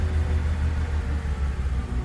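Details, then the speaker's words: 2006 BMW 325i idling low and lumpy with uneven loping pulse, not running on all cylinders, then stalls; owner suspects bad gas, misfire. "you can tell it's not running on all cylinders and it died"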